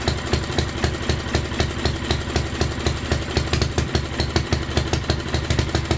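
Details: 1967 Unico 7hp tractor with rebuilt carb, first run in 27 years, fuel valve left open: small engine pops about four beats a second, steady with no stumbles or knocks; healthy settled idle.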